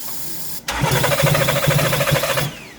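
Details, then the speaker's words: 2014 Porsche Cayenne (92A) crank no start: about two seconds of fast, uneven cranking near three pulses a second with no catch while spraying fuel with throttle open; throttle body good, cranking sound abnormal. "again no no the way it sounds i don't like it the way it sound i don't like it listen to the sound throttle body is good but if it's the way it sound i gotta look at it"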